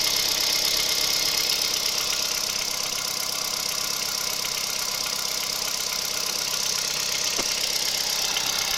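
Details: 2011 Kia Picanto 1.2 G4LA, 96,400 km: light, fairly regular ticking knock, nearly three per second, over steady idle; new unexplained engine knock at idle, source unknown.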